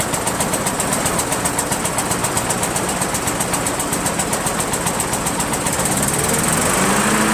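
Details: Rebuilt Briggs & Stratton 17.5 hp single-cylinder engine, repowering a Yard Machines lawn tractor, balancer counterweight links replaced: uneven beat near four pulses a second with harsh buzzy edge, runs rough and backfires; carburetor suspected, unconfirmed.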